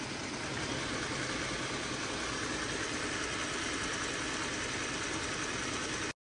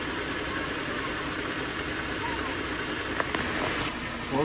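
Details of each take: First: Jeep Grand Cherokee 3.6L V6 at idle, engine bay: light quick ticking rattle over engine hum from a shaking belt tensioner, also heard while driving; tensioner being removed for replacement. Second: Jeep Grand Cherokee 3.6L, after replacing the belt tensioner that caused a ticking in the engine bay: a steady, even idle with a smooth hum and no more ticking or rattle from the belt drive.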